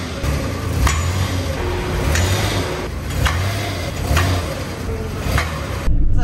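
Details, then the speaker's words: Ram Promaster camper van in a small mechanic's building after a fix: sharp metallic clacks about once a second over low engine rumble when shifted into reverse, the recurring clack noise mechanics keep failing to diagnose; origin unclear. "I popped it in reverse it didn't do it first try I thought I'm gonna drive boom it did it loudly inside of a small building like that it's easy to hear"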